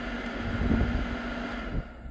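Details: 2011 Dodge Grand Caravan front blower switched to high, key on: even rushing airflow with a faint steady hum, no rubbing or ticking, before dropping off; normal blower operation at high speed.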